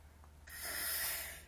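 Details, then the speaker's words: RV water heater being refilled after service: a soft rushing hiss swells for about a second and fades as compressed air is pushed out of the empty tank while it fills; normal. "it must be filling even though the the water heater turned off because uh they uh cuz I can hear it running and we heard the air it's it's compress in the air in the empty tank"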